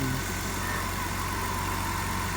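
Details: BMW 330i, 18 years old, sat nine years unstarted; after new battery, fuel pump and sending unit, first start. Steady even idle with smooth unbroken hum, no ticks, stumbles or hunting; idling healthily.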